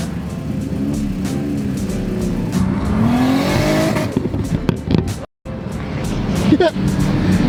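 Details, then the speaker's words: Toyota JZX100 Chaser on its first run, not up to temperature because fans ran immediately: engine climbs in pitch under load, then stutters and cuts in and out on a tune-based limiter since coolant stayed below 160°F. "so we figured it out and basically had a tune-based limiter because it wasn't getting above 160 degrees Fahrenheit"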